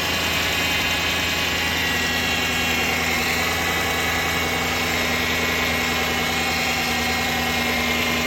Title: What is that whining sound -2011 Dodge Durango Hemi, 115k miles